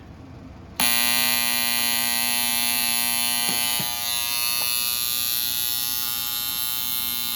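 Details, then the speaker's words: Rebuilt HP80-011A septic air pump (500 gal/day) after diaphragm replacement: steady high electrical buzz with no pumping pulse, energised but not running; electrical contacts later found needing repair. "Okay, it still don't run. That surprising me."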